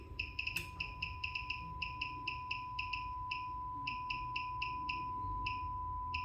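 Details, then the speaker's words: 1938-39 Philco 38-4 console radio under repair: speaker test with a 1 kHz tone, clean, steady and undistorted with some clicking chirps; speaker working. "up yeah hopefully hopefully that's come through so you know just a little Quick Test you could do um something you could do to check to at least make sure that that your your speaker is going to work and it doesn't sound too bad"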